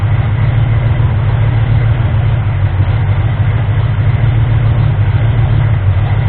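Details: Ford 351M V8 being diagnosed for misfire and rough idle. Deep idle that lopes unevenly, with the beat wandering rather than holding steady. Still rough; the owner suspects ignition timing, and the harmonic balancer timing ring was found spun.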